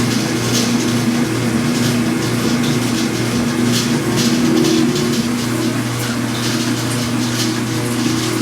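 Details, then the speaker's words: Speed Queen washer during agitation only, not spin: steady churning with irregular metallic rattle like coins, caused by a dry washer on the spindle vibrating; greasing that washer fixes it. "hear is the noise the washing machine makes during the washing cycle not during the spin cycle just during the agitation cycle it's loud enough to be annoying it sounds like a bunch of coins or a bunch of pennies inside the machine rattling"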